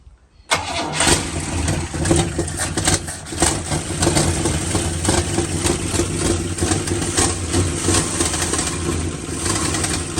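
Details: 1974 Leyland P76 pushrod OHV V8 running for the first time since 1997 after a top-end rebuild, a freed stuck valve and a new replacement for a bent pushrod: it catches quickly and settles into a smooth, even idle. It had earlier been running dead on one cylinder.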